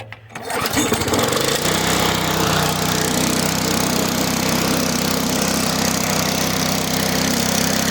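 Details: Neglected, damaged push mower after repair (control cable replaced and cable-locked): the pull-start catches at once and settles into a steady, even buzz with no surging or misfire, showing normal running.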